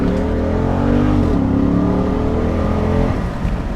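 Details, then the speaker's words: 2010 Jeep Grand Cherokee SRT8, 6.1 L V8 with 5-speed automatic, 62,000 mi, hard acceleration: deep, even V8 grumble climbing smoothly with revs, no knocks or misses; healthy engine pulling strong. "It's a very fun car to hit the gas on and it's very rewarding. You hear that grumble of that 6.1 L."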